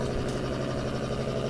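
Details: Heard on an AM radio used to hunt household interference: a harsh, steady buzz with low hum and fine raspy texture, strong and unchanging. Interference radiated by a switching power supply, which overpowers broadcast signals.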